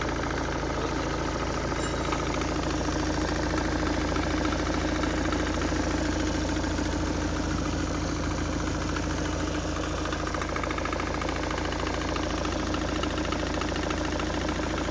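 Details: Volvo V40 idling: constant whirring drone with fast, uneven chatter from the drive belt and belt tensioner; suspected worn tensioner bearing, not confirmed.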